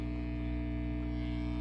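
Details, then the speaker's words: 1979 Fender MusicMaster Bass amp during its first repair, input jacks replaced, no instrument playing: a steady low hum with a faint buzz through the speaker that persists when the volume is turned down. Source not yet found. "oh I hear noise whoa all right let's turn that down a little I still hear it"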